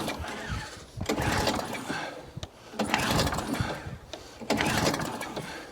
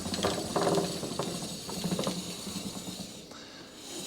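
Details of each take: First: Atco Balmoral cylinder mower engine on choke with fuel, after roller repair; repeated recoil pulls, short rasping spins about every 1.5 seconds, no firing; cranks but won't start, owner suspects carburetor needs flooding. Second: Atco Balmoral cylinder mower roller after stuck-roller repair (gear refitted, greased); light irregular ratchet clicks spun by hand, no grinding or binding; freewheels normally.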